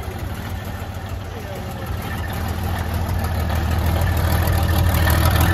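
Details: 1972 Freightliner cabover diesel first running after 27 years: low lumpy idle about three pulses a second, uneven beats as not all cylinders fire yet, steadying as it clears; oil pressure about 80 psi reported.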